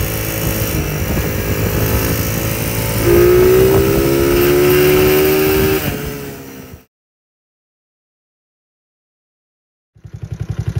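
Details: Small engine revving with a sharp metallic rattle and ping: detonation, first suspected as a loose connecting rod. The cause was a mismade stator plate and/or flywheel advancing ignition timing, firing before the F mark.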